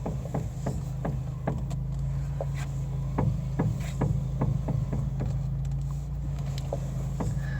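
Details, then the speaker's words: Fiat Panda, steering wheel turned: dull irregular doink-doink knocks about two a second over low hum, from a worn front shock top mount. "a doink doink doink noise it's the best way I can describe it and this is a shock top mount"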